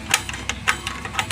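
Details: LG CRT television, dead with no picture: dry sharp ticking about three to five per second, fault in the secondary area, a shorted and cracked horizontal output transistor.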